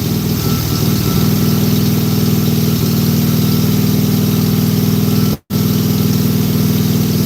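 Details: Briggs and Stratton mower engine with plastic carb: single-cylinder holds a steady, even run with no misses or hunting; running smoothly.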